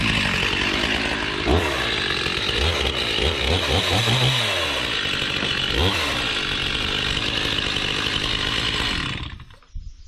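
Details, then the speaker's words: Stihl MS 361 chainsaw cutting cedar blocks with the bar oil tank empty, probably since its last use. The saw pulls down hard with a harsh, dragging chain note instead of a clean rip. Bar and chain are running dry with no oil. "I could hear it in the saw chain, and shame on me. There's there's no oil left in that tank."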